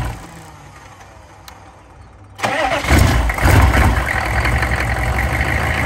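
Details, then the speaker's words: 2000 Chevrolet C3500 4x4 turbocharged 6.5 L diesel repo truck, first start: quiet until starter catches, then fires and settles into a steady, even idle clatter; runs, though exhaust sounds like the muffler is cut out. "We sort of nicknamed this one the America Diesel because of the stripes. But she runs."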